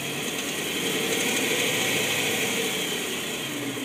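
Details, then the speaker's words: 2010 BMW M3 underneath engine, fully warm after over an hour's driving: fast light ticking about four a second over hot-engine hum at certain rpm, as if something loose inside bottom end; cause unknown. "Okay, I'm gonna record the noise from the bottom of the engine. That sounds like a ticking noise, like it's something's loose inside."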